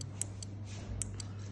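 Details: Relays on a 5 V trigger, switched by grounding relay 1 or relay 2: sharp light clicks about a fifth of a second apart over a low mains hum. Switching cleanly and healthy.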